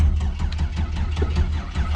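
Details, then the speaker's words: 6.0 LS turbo engine in a budget Foxbody swap, first start: continuous low cranking with no firing after the key is turned off; the starter stays engaged and won't disengage. "I mean we wanted to start and it didn't want to stop starting so it giving us what we want"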